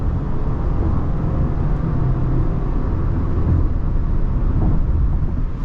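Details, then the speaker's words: 2021 Subaru Crosstrek Premium CVT, 12,248 miles, cruising at 70 mph on the freeway: steady low road rumble with no whine or whistle. Drivetrain sounds healthy and quiet. "Okay, so we're at 70 miles an hour, which is our freeway speed. I don't hear any whistling or whirring. Everything sounds like it's all together correctly."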